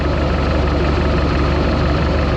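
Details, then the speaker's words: 1976 Mark Twain Mercruiser 120 hp, timing confirmed at 8 degrees BTDC on number one cylinder during tune-up; low even idle with steady beat, no misses or knocks, runs smoothly, normal idle. "that's where you want to be that's why she starts and runs like she should she's smooth"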